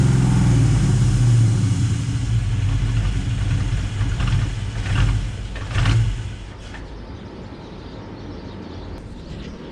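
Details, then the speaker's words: Built 5.0 Mustang GT V8, sitting two years, grounds fixed and PCV valves removed, started but not a proper cold start: deep, lumpy idle with an uneven pulse that wavers and sags. The owner suspects intake leaks cause the rough idle. "I think it's idling rough because of all these intake leaks."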